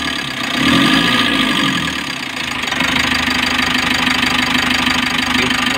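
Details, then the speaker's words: 2020 Mitsubishi L300 with 4N14 diesel, after engine overhaul for knocking (bearing): brief rev then steady, even diesel idle with no knocks; knocking gone, though crankshaft sensor codes P0336/P0116 keep returning. "Pero okay na siya, wala na yung knocking."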